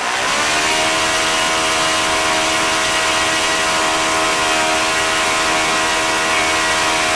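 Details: OS FS-40 Surpass four-stroke glow engine after bearing rebuild, new Enya No. 3 plug, turning 11x6 prop at about 9,400-9,500 rpm, warmed up: steady, even high-pitched scream without sag; healthy run.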